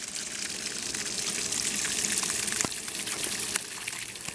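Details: Sprinkler valve switched on from a web page through an OpenSprinkler Bee Shield on an Arduino, outdoors: a steady rushing hiss of water with no sputter or chatter; the valve is open and flowing normally.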